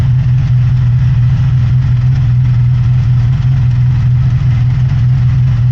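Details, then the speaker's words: 1983 Honda VF750F Interceptor V4 running on its own tank after a fuel petcock rebuild with an All Balls kit: steady, even idle with no misses or knocks, no fuel leaks, and a slight rattle noted somewhere. "I think this is the first time it's run on its own tank of fuel in a while. It sounds really good."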